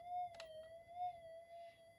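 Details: Minelab GPX 5000 metal detector, heavily modified, returned repeatedly for loss of depth: a thin tone near 700 cycles wavers up and down with a click partway through; likely an intermittent connection on the flex strip.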